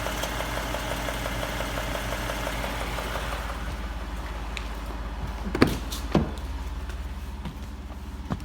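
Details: 2017 Ford 3.5 EcoBoost with 55k miles at idle: faint, uneven tapping under the exhaust note; possible engine knock, source not pinned down.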